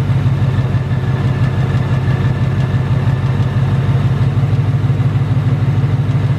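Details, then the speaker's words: 2018 Ford Mustang GT Coyote V8 at idle: light metallic tick about three per second over the rumble, with rattle. Owner calls it the "BBQ/typewriter tick", says not from direct injection, returned louder within the last two weeks; cause unknown. "the 2018 not only does it tick it also rattles so I do have both I have to take and I have the rattle and there isn't no solution for it"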